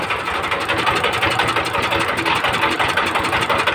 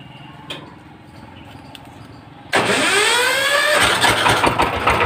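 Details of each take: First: 20 hp direct-injection diesel engine, air cleaner off: uneven drum-like knocking about three per second over a rattly idle; injector nozzle misfire, cured by nozzle adjustment. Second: 20 hp direct-injection diesel engine after valve tappet clearance and nozzle adjustment: cranks, catches at once and settles into an even, steady chug about three beats a second; earlier drum-like knock and misfire gone.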